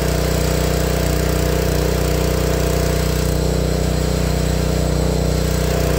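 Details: Honda GX160 log splitter engine after replacing the failing spark plug that caused popping when warm: smooth, even beat at steady speed with no popping or misses; sounds healthy.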